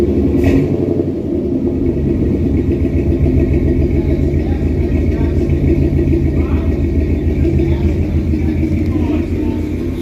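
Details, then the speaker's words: 1963 Studebaker Champ pickup with filed points and electric fuel pump, running with temperature gauge around 115–120, possibly no thermostat; deep steady rumble, even beat, no knocks, ticks or rattles; normal running. "Well, yeah, this thing sounds great. Anything happening in here, Sedge? Nope. Nope. Well, that's good. This thing sounds great."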